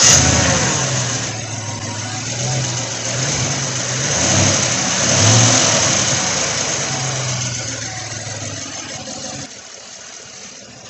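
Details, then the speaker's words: 2016 Chevy Silverado 1500 5.3 V8 with code P0300, after a known spark plug was fitted in the misfiring cylinder: settles from a blip to an even idle with no stumble; the misfire is gone, caused by a fouled plug, and it needs new plugs. "all right guys there you have it it's the spark plug I had to go through all that because it's got a filed spark plug it is not missing it needs a new set of plugs"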